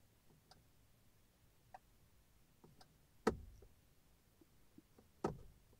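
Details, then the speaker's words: 2006 Honda FR-V 2.2 diesel, right indicator not working, stalk moved slightly with ignition on, quiet cabin: faint single relay clicks, no steady flasher rhythm; failing G8N-1FS relay in module 38650-SJD-E01. "you're gonna hear that really engaging but it doesn't keep on like clicking"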